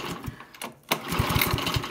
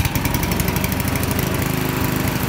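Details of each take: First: Honda lawnmower GX-series engine (GXV120/GXV140/GXV160), no start: quick recoil pulls turn it over with rapid chuffing but it never fires; spark tester clipped to valve cover shows no spark, so ignition coil or cut-off switch suspected failed. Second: Honda GX-series (GXV120/GXB140/GXB160) lawnmower engine after ignition coil replacement for no-start, no-spark: small single fires up on choke and chugs evenly at a steady beat until shut off; running healthy.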